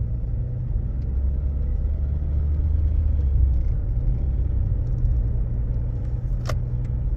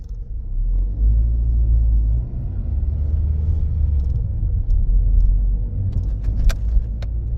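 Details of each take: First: Toyota Aisin MMT robotized gearbox test drive after replacing 3rd/4th synchronizer and adding gear shims to cure knocking: steady road rumble, even pull, no crunch or grind on shifts; 3rd and 4th now silent; normal gear shifting. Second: Toyota Corolla robotized manual (Aisin MMT) gearbox driving in third gear: low rumble with scattered sharp knocks and crunches, strong in third, less in fourth; synchronizer suspected, gearbox removed for synchronizer and gear washer replacement.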